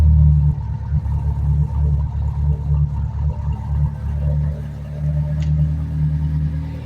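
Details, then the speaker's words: Mitsubishi Lancer project car converted to EFI instead of a carburettor and often left sitting for weeks, just after a cold start once the fuel pump primed: a deep, steady rumble with even pulses and no knocks, misses or rattles, a normal cold idle. "So nag-i-start siya. Pakinggan natin yung kanyang tunog. Ito yung old start."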